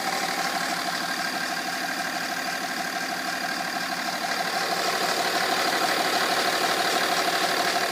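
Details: BMW 330d E46 diesel idling steadily with an even fast tick at roughly three per second running through it; source not identifiable, cause suspected but not confirmed.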